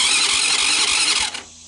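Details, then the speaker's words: 2006 Baja Wilderness Trail 90cc ATV: fast, high whirring starter crank with a faint pulsing chug, then quits without firing; empty tank with stale-smelling fuel, owner suspects the carb needs cleaning. "i got some huffing and puffing that's a good sign if you pull the gas cap and look in it's empty and it smells like monkey pee so chances are the carb needs to come off and get it clean"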